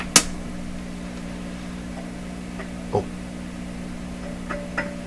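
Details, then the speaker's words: 1929 Victor RE-45 radio with intermittent popping and loss of output, detector stage and #227 detector tube under test: steady low hum with sharp irregular crackles; the same crackle persists, so the tube is judged not the cause. "microphonic grackle okay that's enough that's enough that's all we need we know it's not the tube because the same crackling I'm pretty sure that was the same crackle"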